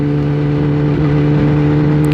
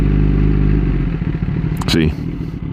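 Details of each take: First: Kawasaki ZX10-R sport bike ridden again after its battery had been removed and charged, on a neighborhood lap: steady, even engine note with clean low tones and no knocks or misses; engine running smoothly and healthy. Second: Kawasaki ZX10-R sport bike in neutral: engine idles, then the revs drop way down into a slow, uneven idle close to stalling; owner is unsure why but thinks it's not a problem.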